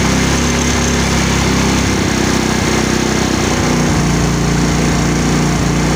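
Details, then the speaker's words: Yamaha Mio scooter single-cylinder engine after carburetor adjustment for hard starting; running too lean gave no fuel supply. Now idles steadily with an even rhythm and no stumbling, no longer dying at half turn: normal idle. "Okay na siya mga ka- sa kalahati ayan hindi na siya namamatay doun sa kalahati kasi Lean na lean kanina kaya ayaw mag-start"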